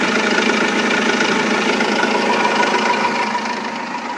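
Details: Renault Laguna 2 2.2 dCi diesel idling after a timing belt and water pump change: a hard, even nailing knock about three times a second, louder than normal clatter. The cause is unknown.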